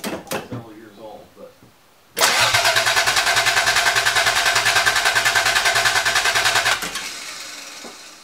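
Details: 1980 Toyota Supra barn find, unstarted for years, fresh battery fitted: steady starter cranking at about three turns a second for four seconds, no catch or firing. Cranks but won't start; owner suspects the fuel pump.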